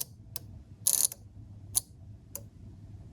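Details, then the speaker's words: DIY relay card (relays driven by a Darlington array) under test: a handful of sharp, irregular relay clicks as the relay chatters; not a bad relay, but an unstable high input signal from a test lead touching a screw. "the one that you hear just now like this little toggling voice or toggling sound was basically not because of a bad bad relay or something it was just because I'm connecting here to this screw and obviously this is not providing a stable High signal"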